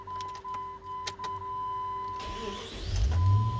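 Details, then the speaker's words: 2002 Jeep Grand Cherokee V8 that stalled when hot, with coolant at 99–100°C: after a few chime tones the hot engine cranks briefly, catches right away without pressing the pedal, holds about 1000 rpm, then drops slowly; normal hot start. "et voilà on peut voir le régime moteur qui est monté à plus de 1000 tours et là il maintient 1000 tours malgré qu'il soit chaud"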